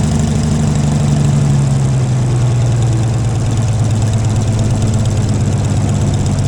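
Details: Gleaner combine gasoline engine after its first start following a carb rebuild, starter rebuild and two straightened push rods. Smooth, steady low rumble with no stumbles or knocks. Runs better after blowing debris, suspected a mouse nest, out the exhaust; normal idle.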